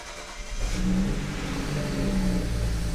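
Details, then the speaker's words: BMW E93 335i convertible N54 engine, first start after oil filter housing gasket replacement for suspected oil-coolant mixing: catches after brief crank, settles into steady, even idle, no misses or knocking; idle drops to normal level. "so it looks like it's running pretty smooth i don't want to jinx it but so far so good"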